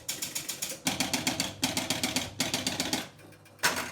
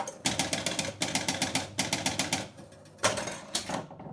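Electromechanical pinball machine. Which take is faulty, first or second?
second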